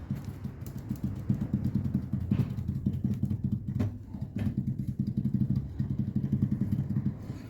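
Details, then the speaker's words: 2019 Fiat Toro front suspension, driver side: dull, rapid low clunking and rattling as the shock rod is rocked; hitting a pothole likely bottomed out the shock, breaking its lower valve and leaving play in the rod. "galera estamos aqui com uma Toro pegou um buraco do lado do motorista quebrou a válvula do amortecedor e deu e tá dando folga na haste Olha a folga dá para escutar o barulho"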